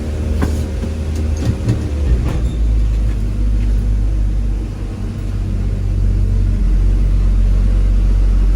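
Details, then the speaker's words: Classic Dodge D150 truck idling after warm-up, about to set off: a steady, deep rumble holding a fast, even idle that never settles lower. It is ticking over far too fast, and the owner blips the throttle to try to slow it. "as you can hear the thing's ticking over far too fast try and slow it down down by blipping the throttle for a bit"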